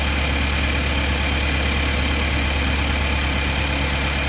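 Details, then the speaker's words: Engine at idle, checked cylinder by cylinder at the ignition coils: slightly uneven, loping beat of about three pulses a second, one cylinder running a little rough; ignition coil or spark plug suspected, not confirmed. "Same thing with that one as well. That cylinder's running a little rough."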